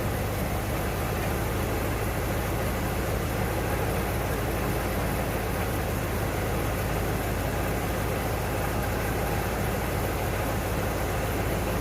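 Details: 1992 Ford Bronco, first start after being bought not running, coolant almost empty, oil a quart overfull: low, uneven idle with steady rumble slowly evening out; rough running.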